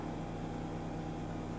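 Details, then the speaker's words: BMW E61 535i wagon, auction car: after erasing codes with a scan tool, the air suspension compressor kicks on with a steady, even electric hum over a low drone and raises the car; compressor working. "I just erased the codes and I hear the compressor kicking on it's raising it's kind of raising it's doing stuff"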